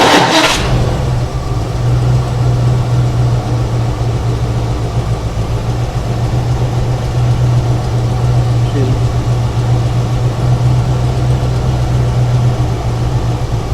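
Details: 1975 Ford Ranchero GT with its open manifold vacuum port now plugged, curing hard starting and stumbling. It starts right up and settles into a strong, even low drone with no misses or knocks; vacuum reads about 18–19.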